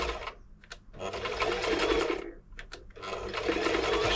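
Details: Toyota model 2640 sewing machine after service and plug fault fix, stitching test fabric: quick even rattle at about four stitches per second, pausing between runs, no knocks; normal running.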